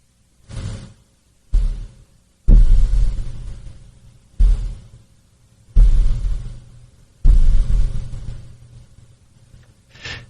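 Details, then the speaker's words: Microphone shock mount tapped from outside with mixer gain raised: six dull thumps decaying into low rumble with faint rattling-screen sound; tapping transmits mechanical noise into the mic. "I'm just going to tap the the shock mount on the outside and you'll hear some like it sounds like a rattling screen."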